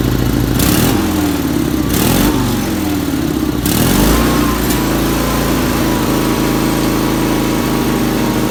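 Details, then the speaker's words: 1977 Sears 16/6 tractor with an Onan twin after a rehab (carb work, new plug wires, starter solenoid, used points): a few throttle blips, then a steady, even run with no misses, running properly. "f slapped it together, and it runs pretty good."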